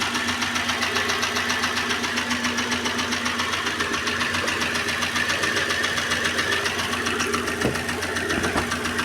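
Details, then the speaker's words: Renault Clio engine blipped from idle: crisp, even metallic ticking, about 220 a minute; valves suspected, so valve train tapping from excessive valve clearance in the rockers, before the intake manifold and air filter intake are removed. "barulho é bem chatinho o barulho né Vamos dar uma aceleradinha lá para a gente ver o barulho"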